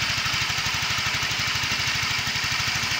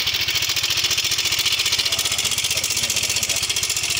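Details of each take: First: Yamaha Mio 125 scooter after replacing a faulty cam chain tensioner that caused a rough clattering noise: the single-cylinder engine idles smoothly, with an even low putter and no rattle or knock. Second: Yamaha Mio M3 125 scooter with a rough-sounding engine, oil level confirmed fine. It idles with a fast, rough metallic ticking rattle over the steady beat, from a weak cam chain tensioner.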